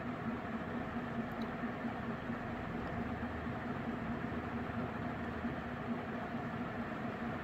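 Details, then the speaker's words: Mid-to-late-1980s 56-inch industrial ceiling fan, possibly HRS, with a cast-iron motor, at full speed on a 5-speed coil choke control, about 250 RPM; a quiet 60-cycle buzz with faint irregular clunks from the loose motor shell, but it otherwise runs smoothly. "it does make that clunking sound and creates that 60 Cycle Buzz but despite that very smooth running fan"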